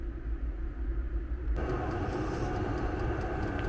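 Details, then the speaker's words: Vevor diesel air heater in a Fiat Ducato van with the van closed up, running at full output: steady low roar, even fan rush, no surging or popping, van interior very hot; normal running. "Je vais le laisser un petit peu voir ce que ça donne. Lui donc qui chauffe à merveille. À l'intérieur, c'est la fournaise."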